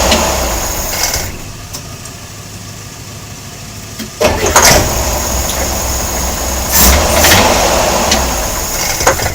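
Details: Air-cooled Corvair engine idling with the belt off: uneven knocking pulses and a few sharper bangs from inside the engine; cause unclear.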